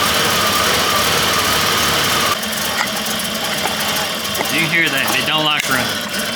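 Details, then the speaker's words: Engine rebuilt by a local machine shop, run on a test stand, 65 psi oil pressure: uneven lumpy idle with an irregular knocking stumble, about three beats a second, misfiring and black haze from exhaust; cause unknown. "you can hear it's just terribly confused on what to do"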